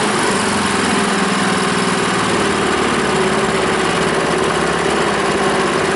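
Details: Honda small engine on a water pump after clearing a clogged carburetor float-bowl jet that caused the no-start (fuel shut-off valve still leaks): steady, fast, smooth buzz with no surging or sputter; normal running.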